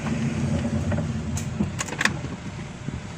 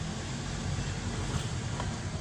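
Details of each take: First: Car rolling slowly: a low groaning creak with a few scraping bursts, like grinding from the brake. The brake disc is damaged. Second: Car test drive after brake repair on damaged brake disc that had made a crunching, growling noise; slowing with only low tire and road rumble, no squeal, scrape or grind. Normal braking.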